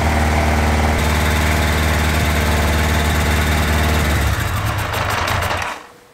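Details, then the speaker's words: Carbureted engine at idle after carb reinstalled: uneven beat with loose tinny rattle about four times a second, a clatter of unclear source; cylinder 1 problem was mainly mixture richness and probably slightly clogged idle screws. "Vous entendez ce bruit de casserole? En tout cas, la solution pour le cylindre numéro 1, c'était surtout un problème de richesse et probablement des vis de ralenti un petit peu bouchées."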